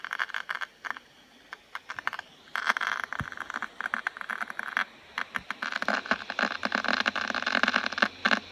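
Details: MacBook Pro 2015: irregular dry crackles and short scraping bursts over near silence, coming and going unevenly. The cooling fan is failing and needs replacing.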